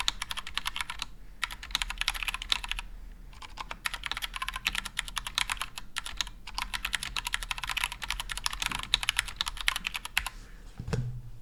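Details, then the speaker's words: Glorious GMMK Compact mechanical keyboard, stock Gateron Brown switches unlubed: rapid clacky typing with faint metallic spring ping and scratchy keystrokes; lubing switches expected to improve sound. "so as you can hear there are some pinging sounds and some scratching sounds but they're mostly coming from the unlooped gutter on browns and i believe that after we loop the switches the acoustic experience should be much better"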